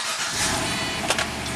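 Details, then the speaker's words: 2006 Pontiac GTO V8, 36,000 miles, after a no-crank immobilizer fault (code B0002) was fixed with a new BCM and keys: starts right away and settles into a steady, even idle with two light clicks. Normal start and idle. "Excellent. So, that's definitely a fix."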